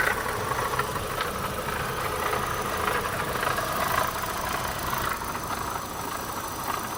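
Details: Opel Astra 1.6 16V (X16XEL) at idle: irregular light upper-midrange rattling over a steady idle, with no clear rhythm and no cause identified.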